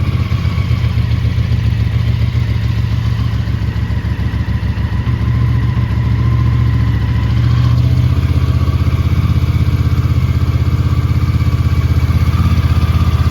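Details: 1983 Honda GL650 Interstate motorcycle, an Ohio barn find just totally restored, idling after its first cold start of the day; low, steady thumping idle with an even beat and a slight rise partway; normal cold idle.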